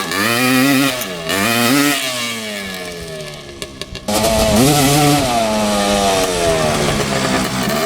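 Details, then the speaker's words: 1986 Suzuki LT250R two-stroke quad, early non-power-valve model, ridden under load: revs climb then suddenly flare and sag as drive drops out; pops out of every gear above first into neutral. "a well yeah it it uh pops high gear pretty good so every gear besides first gear you can hear it drop back into neutral um seems like there's neutral between each gear after first gear"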